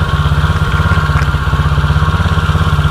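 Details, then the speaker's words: 2016 Tao Tao 110cc pit bike after top end rebuild with new head gasket; carb cleaner sprayed at head gasket, which previously raised idle, now no change: even, steady thumping idle without hunting or climbing; head gasket seals fine. "Man, I don't see anything idling up right now. Nice, good seal."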